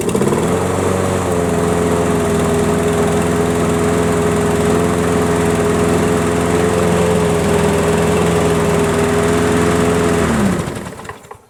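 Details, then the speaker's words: Craftsman riding mower model 917374552, no-start fixed, fresh fuel, key start outdoors: starts clean, steady even single-cylinder drone with no misses or surging; runs healthy, battery seems low. "alright guys there it is it seems like it's gonna work just fine it's certainly fired right up"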